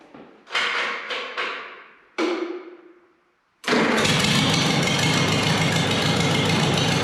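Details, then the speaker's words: Multi-cylinder engine after fitting a new set of spark plug wires, plugs in cylinders one and two probably wet: a few cranking bursts, a pause, then it catches and runs at a steady, even speed without missing; normal idle. "okay we're good um the plow uh the plows told you I would goof up the plugs are probably a little wet um in number one and number two cylinder"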